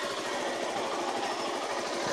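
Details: GD110-type small single-cylinder motorcycle engine, previously cutting out, running with battery replaced by charger output: quick, even patter with no misses; sounds healthy.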